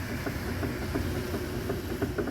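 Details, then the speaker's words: 2015 Fiat Uno Vivace 1.0 8v, car raised on lift: quick hollow knocks, about three a second, from sway bar links with play on both sides, being worked by hand; links to be replaced. "bieleta tem folga nos dois lados n vai ser trocada"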